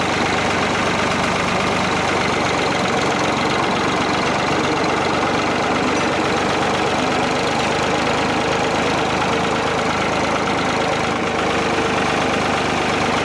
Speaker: yeah like my rat killing the way a old piece of equipment's supposed to sound